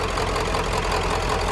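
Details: OBS 7.3 diesel idling after a first-try start with battery terminals cleaned for an intermittent crank: even, steady clatter with a firm low rumble, no misses or odd knocks; idles normally, owner suspects battery corrosion.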